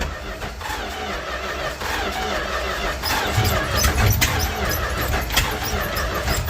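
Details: 1967–70 Dodge A108 van, 318 V8 with a three-on-the-tree manual, timing issues, old starter: irregular chugging crank with uneven puffs that never catches; it blew debris out the tailpipe, and the owner suspects a packed muffler.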